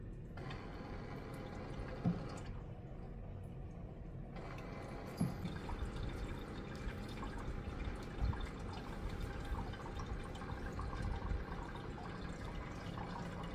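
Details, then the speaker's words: NuNet countertop ice maker with hot and cold water dispenser, making its first batch; soft trickling and dripping over a quiet pump hum as water fills the ice tray; a normal fill cycle. "yeah you can hear it filling up the ice tray or the little section that actually produces the ice"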